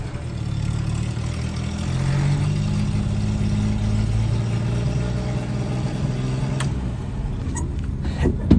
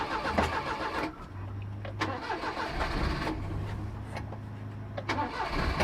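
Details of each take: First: 1988 Daihatsu Hijet mini truck, refuelled after running out, carburetor retuned: even steady low engine rumble under held throttle, no knocks or misses; running well. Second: 1988 Daihatsu Hijet mini truck after sitting for years: slow, uneven cranking about three to four turns a second that never catches; weak battery suspected before a jump pack is added. Unconfirmed.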